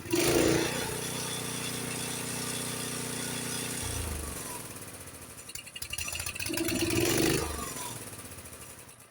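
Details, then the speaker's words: Honda HS724 snowblower engine at fast throttle, then throttle pushed into choke position closing the choke fully; steady fast run bogs, sputters and dies, engine choked out by full choke. "See, I just closed the choke when I pushed it into the choke, and it choked out the engine."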